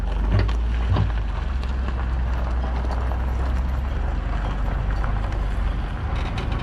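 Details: Travel trailer weight distribution (equalizer) hitch after loose bolts retightened to 75 ft-lb, towing on dry road: only steady road and wind rumble, no creaks, pops or groans; hitch now quiet, big improvement.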